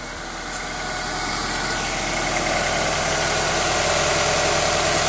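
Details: 1998 Honda Accord EX 4-cylinder VTEC engine: a fairly regular tapping about three to four times a second under the engine note as revs creep up; abnormal noise, source not identified.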